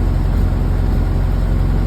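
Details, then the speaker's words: 1931 Model A Ford four-cylinder, first start after an engine rework with a new Snyder 5.5 head, has a low, even idle; rpm slows, then firms up as the spark lever is advanced. It runs healthy, with oil pressure noted as low. "hear the rpm slowing down let me go and advance it picking up a little bit"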